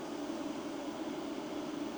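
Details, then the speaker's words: Vevor 6000W solar hybrid inverter charging the battery at 40 A, about 2 kW from solar and grid: cooling fan switched to higher speed, steady airy rush with faint even whistle, no rattle; normal. "Na és ilyenkor, amikor van bejövő, akkor egy nagyobb fokozatra kapcsol a ventilátor."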